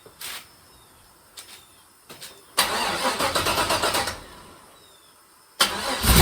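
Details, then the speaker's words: 1955 Buick Special with LS engine swap, after new head gaskets and about 4 gallons of coolant, on a remote fuel tank: the starter turns in short bursts, then cranks with even compression pulses before firing; no hydraulic lock. "As long as it cranks over, then I know I put the head gaskets in correctly, and I didn't fill the cylinders full of antifreeze."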